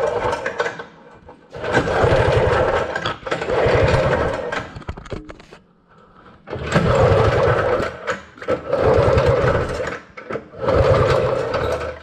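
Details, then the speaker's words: Early-1970s Rupp snowmobile being revived: repeated bursts of pull-over churning with pauses and no firing, despite spark confirmed at both plugs. It cranks but won't start. "What I ended up doing was, you know, I pulled and pulled. We had spark, we had everything we thought we needed. Pulled and pulled and pulled and pulled and pulled and pulled and pulled."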